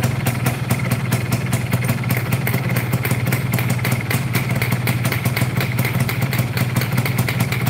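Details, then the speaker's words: Yamaha F1ZR two-stroke, hard to start, overheats, rough clutch, vibrating, heavy pull: idling with fast even clatter from the middle of the engine; worn big-end bearing. "terus ada suara getar tengah ya di bagian tengah kalau di area piston nggak begitu kedengeran ya karena ketutup sama suara yang di sini"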